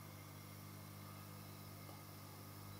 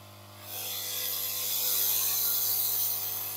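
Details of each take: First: Yihua 968 DA+ III soldering and desoldering station, desoldering pump on full power after the resonating parts were removed: a soft, steady low hum with no rattle or vibration; the pump runs quietly and normally. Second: Yihua 968 DA+ III soldering/desoldering rework station on full power, case open: steady high hiss with faint ratchety buzz from the air pump and resonating cables, no knocking; cables being tie-wrapped to reduce noise.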